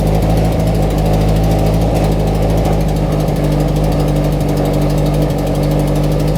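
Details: FRS/BRZ/86 after installing Deatschwerks 900cc injectors and fuel pump idles with a steady, even low rumble over about seven seconds. There are no knocks, misses or ticking; normal idle.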